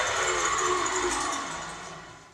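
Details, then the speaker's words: 1985 contractor table saw, rusted top, worn drive belt, heavy vibration: run-down with hollow metallic rumble and high uneven hiss; motor ran fine alone, so worn arbor spindle bearings, later replaced. "The tabletop's rusted, and it sounds like there's a bearing dead somewhere."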